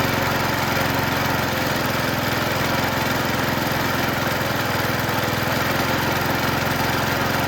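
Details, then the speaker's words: 1977 Toro Whirlwind mower with Briggs & Stratton engine after bent-crankshaft straightening and electronic-ignition conversion: steady even drone sitting a bit slow; carburetor slightly out of adjustment, top governed RPM too low, raised to 2500. "Okay, carburetor a little out of adjustment. Top governed RPM a little too low. Raised it to 2500."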